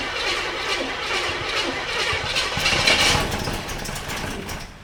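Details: 1985 K30 CUCV, rebuilt swap engine with electric fuel pump, first start after wiring fixes: rough, loud catch with a sharp bang midway before settling, lots of smoke; backfire on first start.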